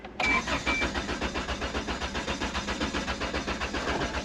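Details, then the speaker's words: 1992 Isuzu pickup, believed 2.4 L four-cylinder, 64,172 miles, intermittent crank no start: even starter cranking, engine never catches; fuel pump found melted/failed; crank no start. "Yep, well, at 64,172 miles on the odometer, we have a no start condition on our Isuzu."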